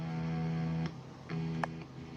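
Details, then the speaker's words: Left-handed Fender Stratocaster after input jack repair and reconnecting the grounding cable: a few low notes ring out cleanly through the amp with no hum or buzz. "but the really the biggest issue there's no buzzing because the grounding cable is connected back"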